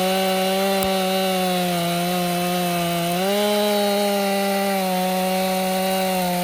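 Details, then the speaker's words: Stihl MS261 M-Tronic chainsaw, hot, after a fix: steady high engine note under load with a brief dip and recovery as it cuts cleanly; normal running. Owner suspects the earlier hot bog was an air leak at the carburetor fuel-line inlet. "jammed it. It's working good. Just jammed it up."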